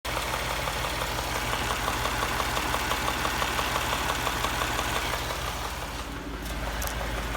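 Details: 2017 Ford 3.5 EcoBoost at 55k miles, idling: light, fairly regular tapping, about three per second, over the engine hum; possible engine knock, cause not confirmed.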